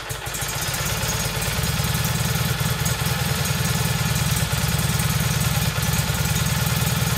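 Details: Rebuilt single-cylinder Kohler Magnum M18 from a Cub Cadet 1882, first start in two years on a test stand with a gravity-fed tank, targeting about 1400 rpm: it fires steadily but a bit lazy and uneven; running rich, the carb needs tuning.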